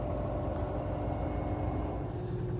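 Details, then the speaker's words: LG 10.5 kg washing machine after a super glue repair and fixing a squeaky cabinet and shocks: deep steady hum through the spin cycle, no knocks or thumps, smooth and quiet. "This is just so smooth. And this is at about midnight. It's quiet here and I can get away with it. It's brilliant."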